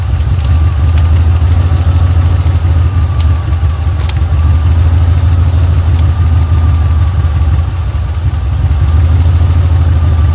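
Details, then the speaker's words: 1980 Pontiac Trans Am Turbo 301 V8, first start after sitting about 18 years: deep, even, low idle with no ticking, knocking or misses, a great-running motor that didn't make a single noise; normal idle. "all right that is a great running motor wow didn't even make a single noise"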